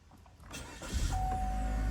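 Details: 2022 Chevy Malibu 1.5T, about 65,000 miles, restarted after the no-start repair and engine code reset to check whether the engine light returns. Brief starter whir, then it catches quickly into a low, even idle. Normal start.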